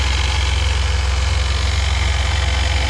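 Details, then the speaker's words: 2002 Chevy S10 idling during radiator and electric fan conversion, new water pump fitted: light steady tick about three and a half per second over smooth idle; owner suspects a rear bearing going bad, source unclear. "I know you guys can hear that thing ticking away I think the bearing in the back is going bad"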